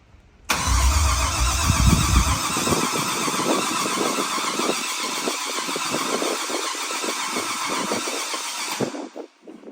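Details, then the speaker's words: OBS pickup: the ECU is fed from a wire that has 12 V with key on but loses it while cranking. The starter cranks evenly without firing and the ECU drops out, so no start. Fix: find a 12 V feed that stays live during cranking. "well it has 12 volts this wire that I tied into when the key is on but it does not have 12 volts when it's cranking so the engine's turning over and the computer just turned off so it won't fire like that"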